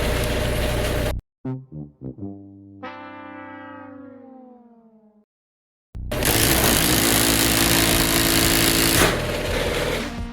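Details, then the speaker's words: Genie half-horsepower screw drive garage door opener overrunning its limit: loud harsh grinding roar as it fails to shut off at the stop arm; faulty limit switch, replaced. "yeah it just blows past this limit here you know once it hits this arm it's supposed to shut off and it's just not doing it"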